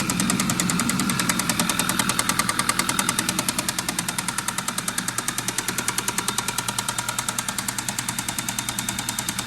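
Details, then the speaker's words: 2013 Audi A6 2.0 TFSI at idle: sharp metallic knock about three times a second, extremely loud; runs smoothly without misfire or stored fault. Mechanic finds the noise unfamiliar and hard to locate; chain stretch considered, cause unclear. "The customer's complaint is the engine is making a loud knocking noise. Brought it in, fired it up, and it's extreme. It's really loud."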